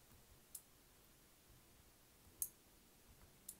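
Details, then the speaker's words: Observatory dome automation prototype: three or four crisp relay clicks as the switch relay fires to power the dome drive motor clockwise or counterclockwise; normal switching. "okay so you can hear it clicking when that switch relay fires it'll provide power to here"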